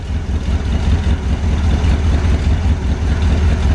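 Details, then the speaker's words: Barn-find 1970 Corvette V8 run from a gas can, idling lumpy with one cylinder dropping out and catching only now and then; intermittent misfire, owner suspects fouled plug or wire, carburetor possible; good oil pressure, no oil burning. "oh yeah you can hear that cylinder it's wanting a fire probably a foul plug"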